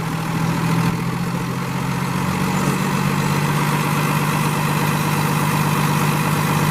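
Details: 2017 Freightliner M2 106 flatbed truck, Cummins ISL diesel (300 hp) with Allison 6-speed automatic, 198,000 miles, idling after start-up: even, steady diesel clatter with a smooth low drone, no misses or knocks; normal healthy idle.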